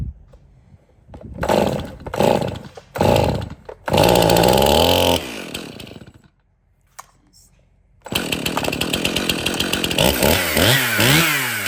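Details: Stihl MS 271 Farm Boss 50cc chainsaw after cleanup, service and new bar and chain: a few short starts and cut-outs, then it catches, idles and revs up and down cleanly with no misfire; normal running.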